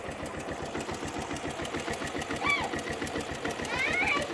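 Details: Suzuki Yes motorcycle: fast, rattly clatter pulsing in step with the small engine's idle firing; abnormal engine noise, cause unknown.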